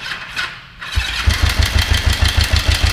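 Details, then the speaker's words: Kawasaki 454 motorcycle with newly fitted starter: short crank catches quickly, then uneven, lumpy thumping at about three beats a second; rough running, owner suspects the timing chain. "is she's still running really rough because I think the timing chain is still the problem"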